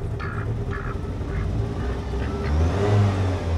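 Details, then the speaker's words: 1988 Saab 900 Turbo, warm engine after rewiring for a hard-start issue: engine blips up and down with a faint rising turbo whistle over the revs; turbo spooling normally. "oh can you hear the turbo now"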